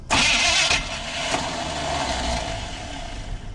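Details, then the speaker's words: 1980 Chevy 4x4 squarebody with rebuilt Quadrajet, bowl filled by hand, old fuel: starter whirs and cranks steadily for several seconds with no catch or firing; extended cranking, no start. "Wait till that starter stops spinning and try it again. Keep going."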